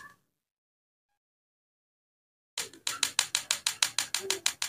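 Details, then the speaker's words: Replacement electric igniter for a Rays gas stove, bench-tested on a battery before fitting: crisp, evenly spaced snapping about three clicks a second with no misses; igniter sparks normally. "kalau ini sudah ada keluar maka berarti ini normal seperti ini ini pada yang Plus"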